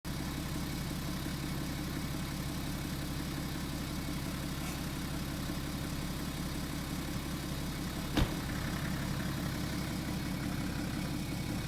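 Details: BMW F10, hot after short driving, idling: a few single sharp knocks from the front, spaced seconds apart; clunk occurs once after direction change and braking.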